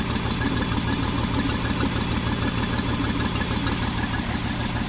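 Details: 2009 Jeep Wrangler 3.8L V6, 6-speed manual, idling and shaking with an uneven, lumpy low pulse from dead misfires on cylinders 2 and 5. The shorted 2/5 ignition coil gave no spark and burned out the PCM's coil driver.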